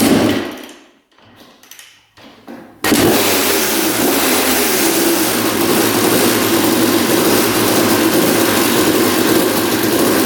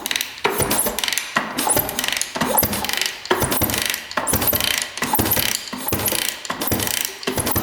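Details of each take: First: 1989 Honda CR250 two-stroke that had been sitting, first start after carb cleaning, with spark, compression, coolant and oil confirmed: after a few kicks it fires and runs with a fast, busy metallic rattle from low down; cause unknown, engine seen moving in frame, mounts suspected. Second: 1989 Honda CR250 two-stroke dirt bike that had been sitting, turned over by hand after adding two-stroke oil: slow, even rasping strokes about every three-quarters of a second, no ticking or knocks; engine spins smoothly.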